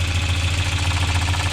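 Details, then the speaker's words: 1993 Volvo 940 B230F after a timing belt, tensioner and water pump reseal and new timing covers on a damaged rear cover: a rubbing noise goes away when the tweaked cover is pulled, leaving a steady, smooth idle drone. Normal idle. "i pull in on that it's just tweaked yeah totally gone now that's the way it's supposed to sound"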